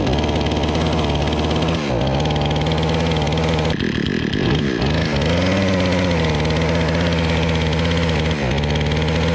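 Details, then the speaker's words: Remington RM4620 chainsaw on freshly mixed fuel: runs but sags and drops pitch each time the throttle opens, never reaching full revs; bogging. "all right so that is it as you can hear it is not revving up to what it's supposed to so let's take this thing apart and see what we can fix"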